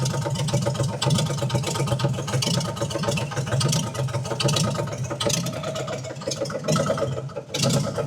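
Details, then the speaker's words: 1968 Chevelle straight-six that had sat since the 1980s, first run with an HEI distributor and a cheap carb, no coolant flowing, won't take throttle. Rough idle with rapid metallic knocking, claimed to be the crank hitting the oil pan, unconfirmed. Engine knock at idle. "You guys can hear it. That knocking is the crank hitting the oil pan. Don't worry, it'll either stop or it won't."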